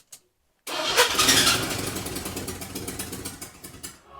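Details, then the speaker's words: 1982 Chevy S10 first start after budget engine refresh, sitting about ten years after an engine fire; catches after crank, runs with uneven stumbling pulses, misfiring; owner suspects transmission assembled wrong, torque converter binding. "That is a running truck. A terribly running truck."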